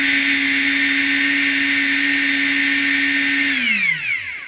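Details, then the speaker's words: Ingersoll Rand impact gun after owner maintenance (cleaning, lubricating, adjusting); before, it sounded funny with lots of mechanical noise and stopped stopping on release; now a steady high whine at constant speed, spinning down smoothly: normal free run. "It definitely sounds different now that I did that. It used to sound like there was a lot of mechanical stuff going on. Now it sounds like there's a lot of smoothness in there."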